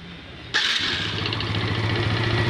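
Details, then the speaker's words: Yamaha Vega R New that stalled on long rides, after fixing loose bolt and restoring a blocked carb passage, fitted with Jupiter Z CDI: clean start, smooth steady idle, revs rise quickly; normal start and idle. "enak ya stabil [Musik] oke ya rpm nya juga cepat naik ya No Limit cepet teriaknya ya pakai CDI Jupiter Jupiter Z"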